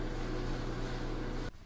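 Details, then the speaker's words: Dryer (GE etc.) after belt replacement, new belt snug, tested with top off: steady even low hum and smooth drum rumble, no slapping, squealing or scraping; normal running, then power cut. "Looks like we're back in business."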